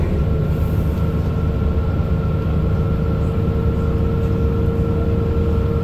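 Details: Mercedes-Benz Citaro O530 LE bus, OM457hLA 12-litre Euro 5 diesel (299 hp), ZF Ecolife 6AP1700B automatic with overdrive, 12,450 kg: a steady, high singing whine over low rumble while driving under load; the fleet's only noisy Ecolife gearbox.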